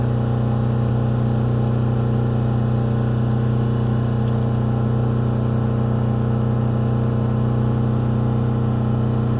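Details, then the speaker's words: Subaru Forester after coil, plugs, wires and new idle air control valve, faults cleared: engine holds a steady high fast idle around 4,000 rpm that won't drop; new part unacceptable, old one going back in. "Well, that was a fail. I guess I'll be putting the old one back in, because that was absolutely not acceptable."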